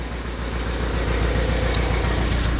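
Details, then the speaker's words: Kia Carnival diesel, hard to start in the morning, turbo fine: loud, lumpy idle with uneven low thumps and clatter. "Suaranya tidak sinkron dan tidak stabil."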